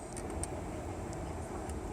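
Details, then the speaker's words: 2009 Chevrolet Traverse after blend door actuator replacement, with airflow now switching properly: a steady low droning rumble appears once the air conditioning is switched on; the source is unknown and the owner is asking for help. "the only problem now I have is when I throw my air condition that's what I get"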